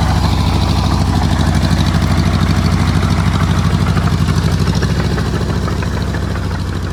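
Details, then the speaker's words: Oliver Cletrac OC3 crawler tractor driving through soft mud under load: low chugging about three beats a second, firing uneven with spits; owner attributes the sputtering to a vacuum leak at improvised carburetor seals, repair kit ordered, not yet fixed. "you'll see the old girl doing a lot of spitting and sputtering here that's cuz there's a bit of a vacuum leak around the uh improv carburetor seals"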